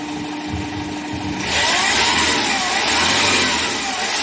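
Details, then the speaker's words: Hyundai H100 CRDI diesel with hard starting and low power; after fixing busted number one injector, engine starts promptly without starting aid and revs cleanly and evenly with no stumble or popping; normal start and revving. "Okay kahit mo na pasalubungan start kanina kailangan pang pasalubungan tapos ang lakas ng backlip ito. Okay na to."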